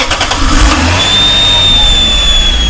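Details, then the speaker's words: Lexus SC300 starting after valve cover gasket and spark plug replacement: thin high-pitched whistle as it fires and settles to idle; runs better than before; throttle body gasket suspected, not confirmed. "Yeah, that's the whistle I'm talking about. You can go and shut it off now. So yeah, that whistle is awful. Right now we're thinking that it's the throttle body gasket."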